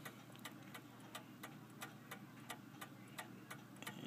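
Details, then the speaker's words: F. Kroeber 1874 cast iron clock, 25 lb, just cleaned after years unused, ran all day then stopped about 5am: sharp ticks about 87 a minute, spacing drifts, tick and tock unequal, seems to speed up and slow down; uneven beat, cause unconfirmed. "I'm not too entirely sure about the beat on this clock."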